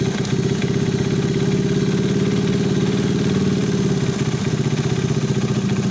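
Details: Alfa 110 small single-cylinder engine with a new cylinder head, complete new piston/cylinder kit, new timing chain, hydraulic tensioner and clutch assembly. Fast, regular metallic knocking riding on the idle beat; engine knock, source unclear.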